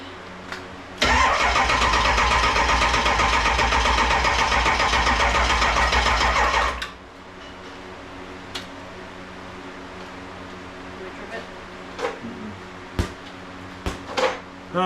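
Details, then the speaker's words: 7.3 Powerstroke diesel swapped into a 1951 Ford shoebox with standalone wiring, cold start in Minnesota: fast, even starter chatter for about six seconds, then dies away without firing as the charger trips out; weak battery supply. "it cranks good and then it slows down so much that it won't do in mhm it sucks by the time it gets to the point where it starts to the fire it's when the charger trips out it"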